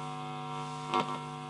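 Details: Fender Mustang 1 guitar amp: steady buzzing hum with a short crackle and no guitar signal; the amplifier section works but the input side does not, fault on the poorly designed input jack PCB.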